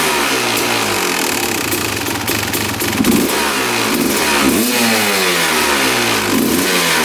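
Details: 2001 Honda CR250 two-stroke revving out during power valve check: crisp rises and falls to the top without bogging; power valves open fully and return, working properly.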